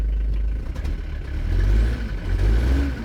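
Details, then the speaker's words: Mitsubishi Pajero turbodiesel after valve cover seal, oil change and new alternator, warming toward temperature: rumble rises and falls with revs under a faint climbing turbo whistle, normal spool; owner suspects a boost leak and slipping belt. "you can really hear the turbo now um I think I'm going to let it idle for a little bit longer and then check it again"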